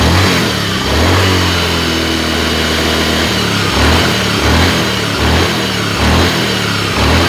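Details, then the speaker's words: Honda Scoopy scooter idling and blipped: a loud, low droning hum that rises and falls with revs, uncomfortable when riding; mechanic suspects worn bearings, typically the crank/pendulum bearing. "suara handlingnya lumayan agak keras ini kalau berkendara ada suara gini kan jadi nggak nyaman ya teman-teman"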